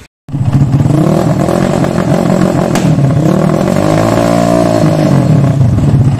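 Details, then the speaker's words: Motorcycle carburetor with an undersized pilot jet: the engine revs up and falls back with a sharp pop partway through, the backfiring typical of a pilot jet that is too small. "nembak ya ciri khas kekecilan itu ada nembaknya juga"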